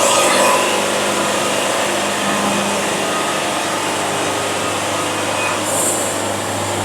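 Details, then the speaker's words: Band sawmill cutting a board at a fast feed. Loud, steady blade whirr that holds pitch without bogging or screeching; normal, clean band cutting. "hear that sound that's the sound of a band having fun"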